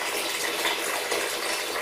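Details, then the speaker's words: Towel rail radiator being drained: steady airy hiss with gushing water as air enters through the loosened top air release valve, letting the water drain out quicker and clearer. "the hissing. Where I've released that valve, it's allowing the air in, which in turn is allowing the water to drain out a lot quicker and clearer."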